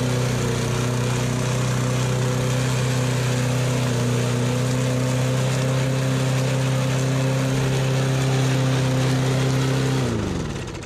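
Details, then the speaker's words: Used push mower: steady, even drone with no misses or rattles until switched off and winding down; runs cleanly. "She runs. Wow. Mint. That was easy."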